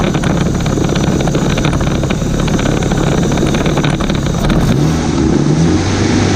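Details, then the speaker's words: 1991 Mitsubishi Galant VR-4, Precision 5558 turbo on E85, after its cracked custom turbo manifold was welded: a deep, steady burble on the two-step at about 11 psi. There is no exhaust leak puffing or ticking, and it sounds healthy. "I plugged in the fan so no more exactly sounds exactly how it should sound now"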